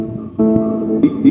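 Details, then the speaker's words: B-35 bass amplifier that gave only hum with no signal, after replacing the 2030 output IC: clean, full bass notes with no hum or buzz behind them; the amplifier now works properly. "Oh ayan bale naikabit na natin yan tumutulog na Kanina puro Ugong lang yan"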